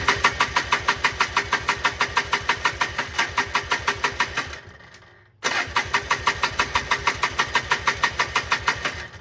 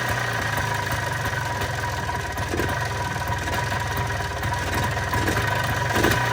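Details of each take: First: 1995 Polaris Trail Boss 250 ATV with bad backfires, exhaust loosely reattached: rapid even cranking pulses, about three per second, in two long bursts, never catching; crank, no start. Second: 1995 Polaris Trail Boss 250 ATV after fitting a new spark plug, on choke: busy two-stroke idle with even rapid putter, no missing beats, holding idle; normal idle.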